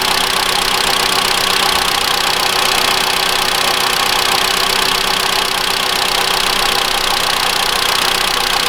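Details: 2013 Mitsubishi ASX 1.8 petrol, CVT, 448,000 km, after replacing the alternator pulley overrunning clutch. Cold engine at a fast idle with a bright belt-drive whirr and no knock or rumble; the front accessory drive runs clean.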